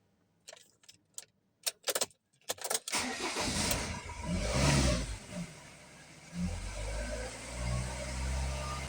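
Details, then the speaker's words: Ford Transit Mk7 2.2 TDCi work van, no check engine light: several short cranking bursts, then it catches and runs unevenly with speed dips before stalling; crank sensor, filter, EGR valve, air sensors and fuel parts already replaced; owner plans to change the pump. "It's not a check engine light or something. It's just normal and starts. And now we stalls."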